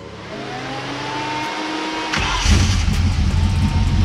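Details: 2003 Mustang GT 4.6 V8 in budget 1965 Cobra replica, just re-primed after fuel pump heard working: cranks, catches and surges into uneven lumpy running that won't settle; owner suspects insufficient fuel pressure, possibly sensor or pump-location priming problem.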